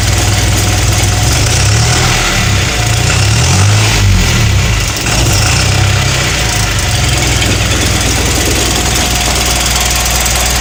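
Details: Cummins ISB170 diesel at idle after FCA and FRPV replacement, leaks fixed: loud idle with an uneven, lumpy beat and a faint surge; rough idle persists, cause unknown.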